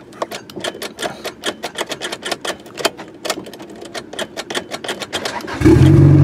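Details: Turbo Acura Integra GSR starting after installing a Kemso upgraded fuel pump: starter cranks evenly at about four beats per second for five seconds, then catches promptly into a strong, healthy run.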